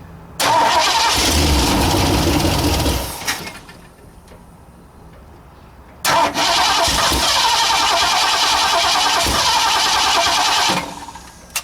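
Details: 1960 Ford F100 with a transplanted 351 Windsor V8 that had not run in decades, valve cover not bolted down: it cranks and catches quickly twice, running with an even note and no knocks or noises; normal start.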